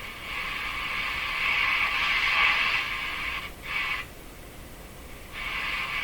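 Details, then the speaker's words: Hallicrafters S-40A shortwave receiver: a shrill, steady howl that breaks in and cuts out as the set is disturbed, on every band. Microphonic oscillation, with a contact issue in the tuning capacitor suspected. "it's microphonic sort of what's happening man what's happening"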